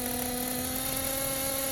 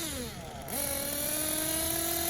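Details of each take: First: Tekno Blok 21BM nitro RC engine idling steadily with an even high buzzing whine after the needle was reset to its previous setting, having run lean when leaned out; normal idle. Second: Tekno Blok 21bm nitro RC engine: thin, high, uneven idle and revs during throttle pulls; low-speed needle set too lean (two minutes), running out of fuel at idle, corrected by returning to previous setting.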